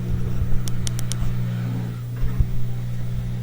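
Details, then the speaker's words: LG washing machine showing LE error on spin cycle with water inside: low electrical hum with faint clicks and a shake as motor kicks in, drum never spins; faulty rotor Hall sensor or its wiring. "You can see it's trying to activate to spin, but you just get kind of a shake when the motor kicks in, but it's not able to spin it."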